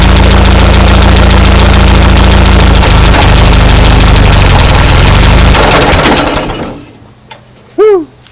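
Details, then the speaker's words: 1939 Ford tractor sat in field 20+ years, choke set via carburetor butterfly: strong, steady low chugging about four beats a second for six seconds, then clean shutdown while burning out old carbon; normal running. "That's pretty exciting right there. Ran good. Yeah."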